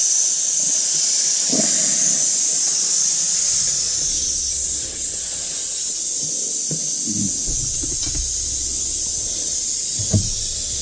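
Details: 1983 Mack cabover semi, engine running: constant loud high hiss over a faint engine rumble from the high-low range shift valve leaking air profusely; truck not building air properly, no reverse.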